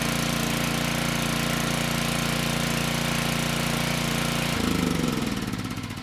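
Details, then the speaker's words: Generac 5500 W WheelHouse generator (Briggs engine 204412) after ignition coil replacement: single-cylinder engine settles into a steady even chug at governed speed, then winds down cleanly; runs well, 123 V output, engine speed slightly slow. "This time the engine started and stayed running. The engine sounds good and we're making power."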